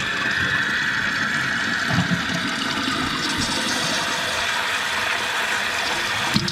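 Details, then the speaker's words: Running toilet after adjusting the float down: flush, then tank refills with steady hiss and gurgle and shuts off completely, water about 1.5 inches below the overflow top; fill valve normal, no trickling. "So you can see that that is at least 1.5 inches below the top of the overflow. And that would work very well. If it comes up there, you can hear that the water shut off completely."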